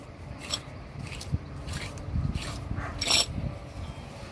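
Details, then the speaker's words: 2007 Chevy Malibu, old wheel hub assembly turned by hand during replacement: uneven gritty dry scraping bursts, unlike the silent new hub; worn wheel bearing grinding. "you know if you can hear that noise the noise is from the hub assembly we're replacing it"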